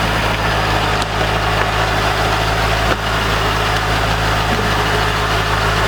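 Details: C5 Corvette idling after first start following harmonic balancer and front subframe replacement, slight smoke from sprayed fluid on header: smooth, even low rumble at steady speed with no knocks or misses; healthy idle.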